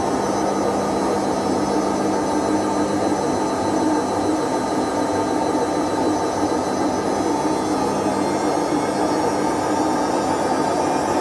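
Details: Whirlpool/Vestel washing machine with bad drum bearings after exactly one year, during a fast spin: a steady heavy roar with a droning hum that keeps getting louder, but the machine still runs. The cause is worn drum bearings.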